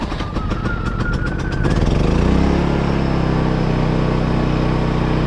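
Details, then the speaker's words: 1990 Fleetwood Bounder motorhome generator, battery freshly charged: starter cranks with a rising whine, then the engine catches and settles into a steady, even low drone. Starts easily and runs healthy. "Oh yeah, she's happy today."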